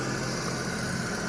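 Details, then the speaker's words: Carbureted Jaguar V12, hot start after the carburetors were reworked (previously wouldn't idle and accelerated poorly): steady, even low rumble that returns to a very smooth idle with no misses or lumps. Normal idle. "really good idle and is as smooth as can be if I had a coin we could balance it on the engine returns to a nice smooth idle"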